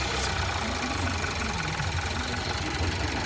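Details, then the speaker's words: Volkswagen T-Roc 1.5 Evo petrol engine, warm, idling with the snapped brake-servo vacuum pipe blocked by a finger: steady low normal idle; releasing it causes an air leak, hiss and high idle fault. "engine starts idling normally."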